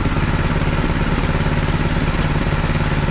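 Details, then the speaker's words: John Deere 826 snowblower, first start of its newly swapped Predator 6.5hp 212cc engine at one-third throttle with choke on: steady single-cylinder thrum with even firing and no misses or knocks. Normal running. "that's awesome you know that's awesome it's not a zero degree day or nothing but for a motor to start i didn't even know what was possible"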